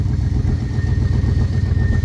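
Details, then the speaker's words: Old square-body dump truck carbureted V8, sat about 10 years, after freeing a stuck carburetor float and fitting a new gasket: deep, even rumble with steady beat, no misses or stumbles; normal idle. "got her back together sitting here idling we didn't do anything else to the car but get the float done stuck and throw a new gasket on it"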